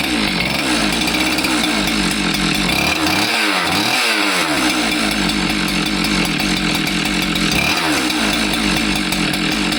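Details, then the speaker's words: Husqvarna 372XP chainsaw revving and idling with a harsh, distinctive metallic rattle the customer had not heard before; the cause is loose metal bouncing inside the cylinder. "It was here because it was making a distinctive noise. And obviously this noise isn't something the customer had heard before because he heard it and brought it in."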